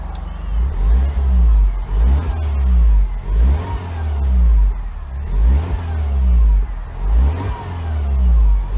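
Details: Freshly rebuilt 2012 N14 Mini JCW Coupe given light revs, stationary, while warming up (coolant about 73.5). Smooth blips rise and fall evenly with no knock or miss; healthy.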